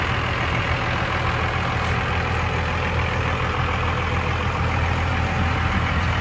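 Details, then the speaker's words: 1995 Dodge Ram 3500 dually 4x4 with a 12-valve 5.9 Cummins diesel, five-speed manual and 45,628 miles, idling after start-up: deep, steady rumble with even clatter and no misses or knocks. The engine runs and drives as it should. "this 1995 runs and drives just like it should"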